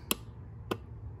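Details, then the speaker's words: Four-pin relay tested in an ES192 Diagnostic Relay Buddy 12/24 V tester on the four-pin setting: three sharp, evenly spaced clicks about 0.6 s apart over a faint hum, then the green light; relay works normally. "okay it's clicking and then the green light comes on so that's a good one"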